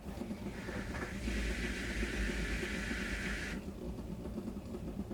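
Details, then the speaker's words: Samsung WaterWall dishwasher with error 7C. At start a rough grinding rush builds for a couple of seconds over a low hum, as if it is trying to catch but doesn't, then stops. The owner suspects the vane is stuck against the water wall motor. "whenever you start the dishwasher it's got that almost sounds like something's grinding or like it's trying to catch but it's not"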